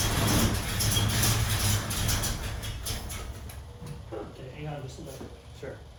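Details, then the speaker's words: 1974 AMC Javelin that usually starts immediately: rapid, fairly even starter churn, three to four beats a second, fading without catching, with excess fuel suspected of getting into the intake; hard starting, cause unconfirmed. "you know what this thing usually starts immediately off the gas boards go ahead the gas pedal it's messed up there you go okay foreign"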